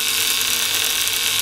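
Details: Antique violet ray medical machine (design shown from 1893), argon-filled glass probe, run with its control removed while the adjuster is turned: a thin, steady, high-pitched hiss-buzz, unbroken and even, as the trembler coil works normally and makes a high-voltage arc.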